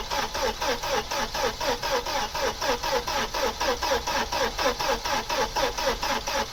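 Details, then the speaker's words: Opel Omega A 2.4i CIH estate, parked in a barn since 2003, cranked on the key with probably no fuel: starter spins the engine freely at about four even beats a second, and the oil pressure and management lights go out, but it never fires. Crank, no start. "Well, it turns easy enough. It's put the oil pressure light out and the management light's gone out."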